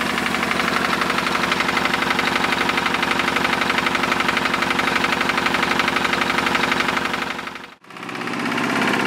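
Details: Lister diesel air compressor set at 60 psi, after the automatic drain plug was fixed: steady, even thumping at about four beats a second with no misses or knocks; running normally.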